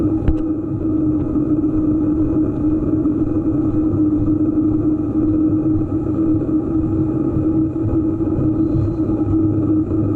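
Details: EVO GP PRO: steady low hum at constant pitch under the running vehicle with even rumble behind it; humming drone of unknown origin.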